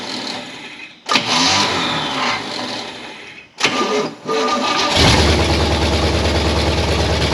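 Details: 1968 Pontiac Firebird V8 after 30+ years parked, new plugs: two short cranking tries, catches on the third and settles into a steady, even idle; normal start and idle.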